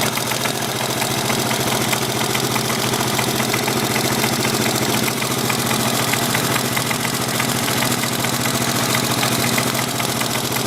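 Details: 1983 Yamaha XT550 idling with a sharp knock on each beat plus metallic clatter, worsening over several days; seems to come from right-hand crankcase, unchanged by clutch or gear, only at idle, gone under load and higher rpm; cause unknown.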